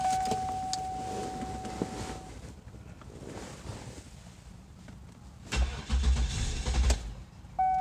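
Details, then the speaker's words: Toyota Sienna with stored misfire history across several cylinders and no current misfires, started in clear flood mode for a tune-up: a warning chime, then a quick crank into an even idle with no dead-cylinder beat; starts cleanly. "mode okay sounds pretty good to me i'm not hearing anything that uh jumps out at me uh like a cylinder that's not contributing or something like that"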